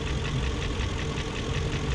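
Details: 2001 BMW E38 740i idling after Vanos rebuild, intake cam-end gaskets replaced: light quick regular tick over the engine note from the top end; spark plugs tight, no codes, cause not yet found.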